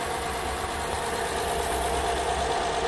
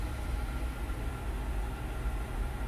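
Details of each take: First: 2014 Honda Odyssey 3.5, 83,000 miles, cold start after sitting overnight, uneven stumbling idle pulsing about three times a second, engine shaking; P0303 cylinder 3 misfire, ultimately traced to oil fouling. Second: 2014 Honda Odyssey 3.5, 83K miles, after fixing cylinder 3 misfire from oil-fouled plug: steady even low idle with a faint constant tone, no stumbles after a few initial misfires; misfire gone, idling smoothly.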